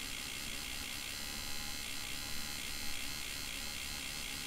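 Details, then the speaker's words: QumeTrak 142 5.25" floppy drive from an IBM PCjr, spindle motor running unloaded with no disk. The whir wobbles in pitch with irregular speed; the spindle rings are not moving smoothly. "tor enable signal and connecting it to test point ground and if you can hear the drive speed does not sound good it's a little hard to tell in the video too but you can see the uh the alignment rings on the spindle there are not moving smoothly either"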